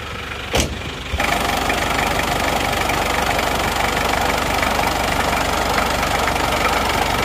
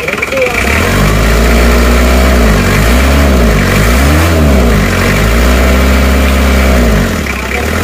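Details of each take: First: Isuzu Panther 2.3 diesel before repair, using oil, with heavy smoke from the breather hose under the engine: even idle, still smooth, but a loud steady rushing hiss over the clatter; heavy blow-by from worn piston rings and liners. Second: Isuzu Panther 2.3 diesel just rebuilt with new water pump, shortly after first start: even clatter at idle with a few smooth throttle blips rising and settling back, no misfire; normal diesel idle.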